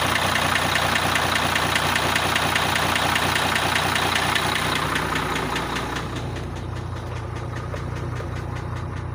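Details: International truck with Cummins 11 diesel idling: sharp steady knock about 2.5 times a second. Unplugging cylinder 5's connector slightly reduces it, the other cylinders don't. Repair deferred.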